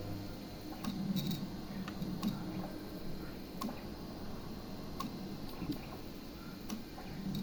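Quiet room with faint, spaced ticks repeating about once a second and no printing run; the printer clicks but never feeds.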